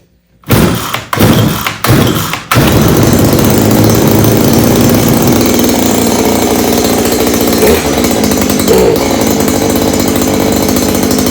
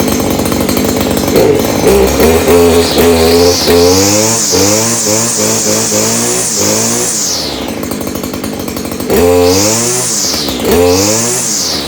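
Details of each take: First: Stihl KM94R string trimmer, small two-stroke, started after annual service with new air filters and spark plug, primer bulb not primed: a few short sputtering pulls, hard to get firing, then a loud steady buzzing run with uneven beats. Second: Stihl KM94R string trimmer after annual maintenance (new air filters, spark plug): small two-stroke buzzes up sharply with throttle, settles back, revs again cleanly; runs smooth and strong after its tune-up.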